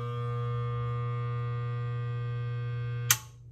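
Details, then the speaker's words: Garbage disposal unused for years, run after resetting its tripped built-in breaker. The motor cannot turn and hums steadily for a few seconds, then the built-in breaker trips again with a snap: a seized, stalled motor. "okay so you heard it got power to the motor the motor could not turn so that was that humming or whining noise and then it usually tries for five to ten seconds and then that circuit breaker again broke the circuit"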